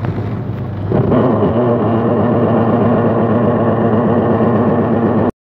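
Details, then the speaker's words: Washing machine whose motor runs while the top section stops and clothes don't turn: the motor hum carries a rough churning grind pulsing about four times a second. Worn gearbox, to be replaced. "इसका मसला यह है की जब इसमें कपड़े धोने के लिए डेल जाते हैं तो मशीन की मोटर बजे तो चल रही होती है लेकिन टॉप में पड़े कपड़े नहीं होते और इसके साथ-साथ मशीन के अंदर से कुछ इस तरह की आवाज आई है"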